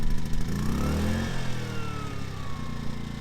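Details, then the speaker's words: Ryobi generator, about three years old, after fixing a hard start by tightening a stretched or loose choke cable: it settles after a brief rev dip into an even, steady drone with no misses. Normal running after repair. "she runs great shut her off well as you saw we had a successful start on our generator it's as simple as that"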